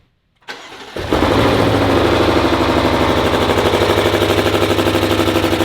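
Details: BMW M5 with basically stock S63 V8 that threw a rod, front of the block gone, started for proof: cranks, fires and holds a rough, pulsing idle with a coarse rhythmic beat; still runs despite the holed block.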